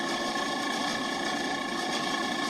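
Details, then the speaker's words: Walk-in freezer condensing unit that only got cold in cold weather: steady mechanical drone with light rattle from the semi-hermetic compressor, condenser fan very quiet; no knocks or surges, running normally while condenser saturation temperature is watched. "So that noise you're hearing is not the motor. That's the that semi-hermetic beast there rattling around. The condenser fan is super quiet."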